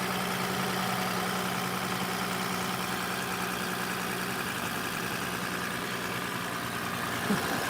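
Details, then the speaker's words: 2006 Toyota Avalon 2GR-FE V6, once thought locked but actually an incorrectly installed starter, running after correction: quiet, even idle with a smooth steady hum, no knocks, misses or starter grind; seems fine. "I'm pretty sure we're fine. It's just hard to say. I just want to let it run for a little bit and make sure."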